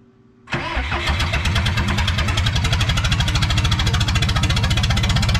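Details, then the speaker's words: 1986 Lull 644 Highlander II telehandler diesel, sat for many years, after injection pump check; fires and settles into a hard, regular knock on every beat at idle, heavy smoke; oil full of metal glitter, engine needs replacing. "i bought it knowing i thought it needed a motor so it turns out i am correct because i don't know if that's showing up on the camera oil looks like stripper glitter"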